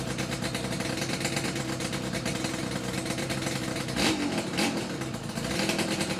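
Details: Yamaha RD350YPVS F2 two-stroke twin after full rebuild (all bearings, seals, rebore); plugs were loose on first run. Crisp crackle rises and falls with each throttle blip, no knocking or rattle. Normal revving, quiet and healthy.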